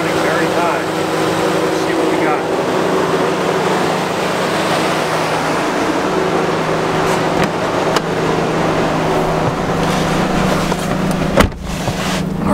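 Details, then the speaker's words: 2014–2019 Chevy Silverado/GMC Sierra: loud steady rushing roar with a faint constant hum from the radiator fan stuck on high; coolant temperature reading was stuck at 160, and the coolant temperature sensor was replaced. "so before it was stuck on 160 and the fan ran continuously while the truck was on"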